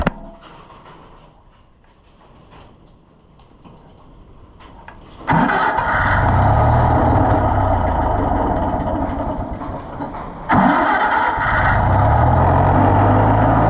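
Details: Fiat tractor after muffler work, previously quit with sediment bowl full of bad fuel: cranks and catches, runs unevenly a few seconds, fades and nearly quits, restarted; owner plans draining fuel and fresh gas: hard starting and stalling.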